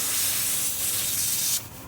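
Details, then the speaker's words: Samsung refrigerator not cooling, unplugged and plugged back in: thin, steady airy hiss from the cut line for about a second and a half, then fading, instead of sucking in; partial capillary tube restriction. "So I have a restriction or partial restriction in here."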